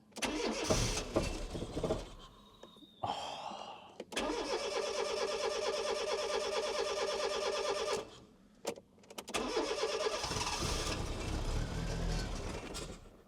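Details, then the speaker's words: 1996 Fiat Cinquecento Sporting with 26,000 miles, abandoned for seven years: cranking whirr, then the engine catches and runs briefly on starting spray before dying, with no fuel delivery. "it's getting fuel. >> It's getting no fuel. >> But it was running."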